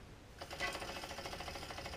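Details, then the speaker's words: Mountain bike hydraulic disc brake with caliper mounting bolts loosened so the caliper is no longer aligned with the rotor: rapid, even swishing scrape with each wheel turn as it spins down, rotor rubbing the off-centre caliper. "vous entendez ce frottement donc parfois bon il est pas il est pas autant accentué mais voilà c'est vraiment à titre d'exemple quoi"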